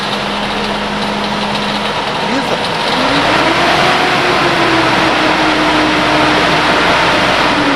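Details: Nissan Frontier engine: loud steady roar and droning whoosh rising with revs caused by a seized viscous radiator fan clutch; fixed by replacing the part.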